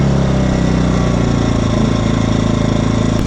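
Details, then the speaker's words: Predator 2000 W inverter generator, which started once oil was topped up to the fill spout, idles unloaded in eco throttle mode with a low, even, quiet hum and no misses, normal. "So see, that backed off quite a bit, and it's running fairly quiet. I mean, it's actually it does run pretty quiet. It has that eco mode."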